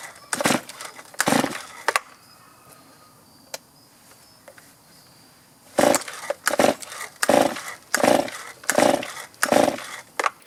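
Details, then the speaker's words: Stihl chainsaw that starts fine cold but is hard to restart after running: revs in short bursts that die away about once a second, bogging and not holding revs; carburetor problem, idle adjustment to follow. "That doesn't sound good. There we go. That's not good. I'm going to go ahead and try to adjust the carburetor."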